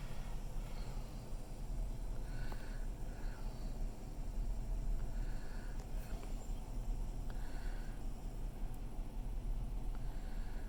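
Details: 2006 Hemi V8 heard from inside the cabin at idle, also revved to about 2000 rpm and in drive: deep idle rumbles unevenly, beat lurching rather than steady; rough idle, cause not confirmed.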